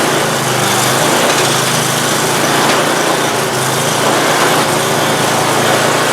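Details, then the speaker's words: Free Simplicity snowblower engine after an oil leak repair, freshly filled with oil and gas: high, even small-engine buzz holding one speed with no sputter, clatter or surging; normal running. "there we go she's running I think I'm gonna have to tweak this little bar back so that doesn't hit but beyond that she's good"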